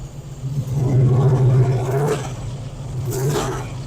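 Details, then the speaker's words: 1972 Chevy Nova restomod V8: lumpy idle with light, busy top-end ticking that picks up with a throttle blip; ordinary valvetrain noise. "I'm going to show you what that valve train sounds like and hopefully you guys can pick it [Music] up you can kind of hear it in here"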